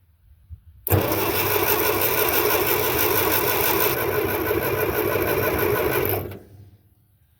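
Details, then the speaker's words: Ferguson TO30 tractor after fitting a new starter to replace one that dragged and cranked too slowly: the starter spins the engine quickly and evenly for about five seconds with no drag; normal cranking. "yeah that's a lot better A lot better I am happy about that"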